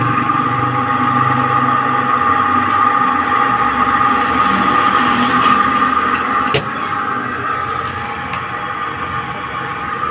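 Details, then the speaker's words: Spin dryer running directly with its top section opened, after oil was applied; brakes and seal had been checked and found fine. The earlier loud noise is gone: an even steady whir with a light hum, no scraping or squeal, running smoothly. "देखिए इसकी आवाज़ बिल्कुल ख़त्म हो गई है और ये जितना चलता जाएगा और स्मूथ होता जाएगा।"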